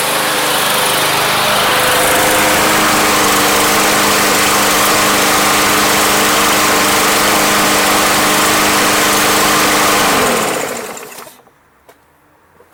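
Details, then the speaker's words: Yard Machines lawn mower, barely used and bought not running, on Seafoam-treated fuel, hot start: loud, steady high-revving buzz holding even speed for ten seconds, then shut off; rough running cleared up a lot, cause not confirmed. "Alright, so originally I was going to leave this run and go sell the blower. It actually cleared up a lot."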